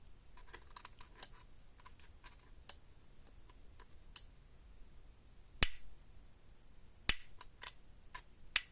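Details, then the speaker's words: Patriot PMX350 fence energizer, 10+ kV on tester, wire touched to one terminal and held near the other; sharp dry spark snaps about every 1.5 s, strong regular output. "Let's take a piece of wire. We'll touch one terminal and get really darn close to the other one. And see what kind of spark this thing throws."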